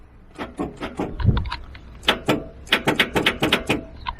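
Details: Ford 7.3 Powerstroke truck that won't start: sharp clicks in uneven bursts of a few per second with no cranking. The removed starter showed arcing; it was a failed starter.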